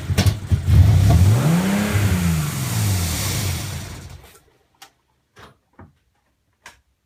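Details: Nissan 300ZX after swapping Phase 1 injectors for Phase 2 injectors: rough, uneven idle, revs surging up to about 4000 RPM and sagging back before the engine cuts out.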